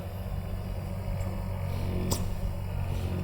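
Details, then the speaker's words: Mychway 5-in-1 ultrasonic cavitation RF slimming machine (LY-54K2/LY-54K2S), suction mode 1 (suction only, no release), set at maximum: steady even low pump hum with no pulsing, very tight suction; vacuum pump running normally. "the mode one is only only suction no release oh it's very tight"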